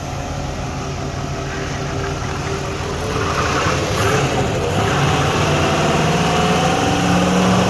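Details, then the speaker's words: 5.7 V8, cold, after a no-start was fixed by repairing the 5-volt reference wire with butt connectors, good oil pressure, one intake bolt missing; deep rumble rising smoothly when revved, no knocks, misses or ticks. "Runs good to me."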